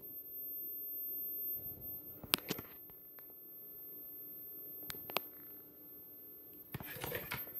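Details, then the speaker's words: Vizio SB 300 series sound bar, opened, speakers unplugged from main board, restarting itself and failing to turn off: thin constant very high-pitched whine under handling clicks from a faulty inductor on the amplifier board, later replaced. "I'm not quite sure what's coming from so what I'm going to do I've already actually unplugged all the speakers from the main board here and let me turn that getaway around oh really the only thing that could be making the sound and it's a high pitch"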